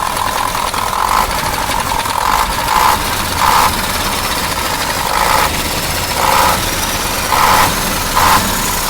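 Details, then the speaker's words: KAMAZ 740 Euro 2 diesel after rebuild, started to check an earlier knock from the upper right side: steady even idle, no extraneous noises, runs smoothly; engine consumes oil and leaks underneath, suspected injection pump drive seal. "ну сейчас я вот заведу покажу как он работает вот посторонних звуков нету работает"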